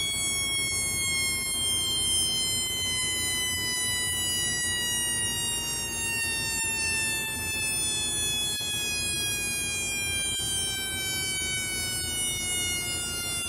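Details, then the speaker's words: Homemade 1972 siren oscillator with an out-of-spec 470 µF timing capacitor: steady electronic wail glides slowly down over many seconds; far too slow for a police siren, more like a civil defense siren. "hmm not a police siren but but it would make a decent civil defense siren"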